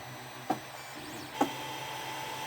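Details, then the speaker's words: 3D printer two hours into a five-hour print: sharp knocks about once a second over a quiet hum as extruder drive wheels try forcing filament through a nozzle clogged, owner thinks, by bed misalignment; nozzle later replaced. "well it's still going in fact it's been going for two hours you probably hear that knocking noise"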